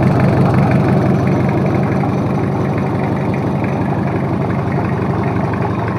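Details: Toyota Kijang 2L diesel, freshly overhauled for low compression and abnormal noise, idling after first start: low, steady clatter at about three beats a second, even and smooth, no knocks or misses; oil pressure normal, healthy.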